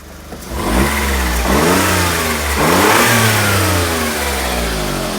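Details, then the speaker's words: Smart Fortwo automatic just bump-started, engine cover open: the small engine is blipped through several revs with a raspy puffing edge that climbs with speed, indicating an exhaust leak somewhere. "oh that's definitely an exhaust leak somewhere"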